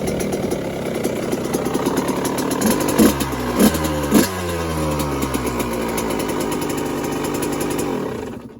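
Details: Dirt bike just finished being built, engine untouched (top end reportedly rebuilt earlier), started in basement possibly needing choke: fires up, three sharp throttle blips, steady crisp idle, then shut off; healthy two-stroke start and idle.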